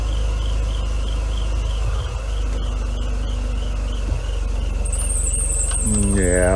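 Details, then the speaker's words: Mercedes W124 after head gasket job and cooling system flush, warming up without thermostat: steady idle with a high thin chirping squeal riding on top, tracking engine speed; air pump bearing squeal. "not can hear the squirrel of the air pump"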